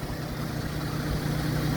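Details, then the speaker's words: Jeep sitting outside from October to March 1st fired right up: steady low drone with an even beat, no stumbles or knocking, revs settling smoothly; normal idle. "this thing's been out here sitting since October and it is now March 1st and it fired right up how do you like that man"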